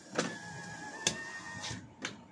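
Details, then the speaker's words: 2023 Toyota Avanza G 1.5 automatic, driver's side power window: sharp clicks about once a second over steady motor whine while glass goes up or down; loose window regulator rail bolts. "Jadi kalau misalkan kaca kaca ini diturunkan atau dinaikkan itu ada bunyi teman-teman kayak gini bunyinya"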